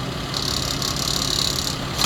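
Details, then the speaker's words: 2006 Lexus RX330 at idle on a pre-purchase inspection, heard from underneath: a light metallic buzz-rattle from the bottom. Pressing on the exhaust stops it, so it is a loose exhaust bolt that just needs tightening. "I'm noticing a little rattling noise. It's coming from the bottom. When I press on the exhaust, it stops. So it just has a loose exhaust bolt."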